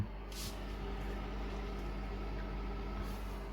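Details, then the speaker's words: Noisy refrigerator, after fan repair: soft, steady low hum with a faint even whir and no ticking or scraping; fan now running quietly and normally. "ahora sí ahora es otra cosa es para el ventilador ahora encenderán silencioso total bueno hacemos un poco de ruido pero comparado con antes"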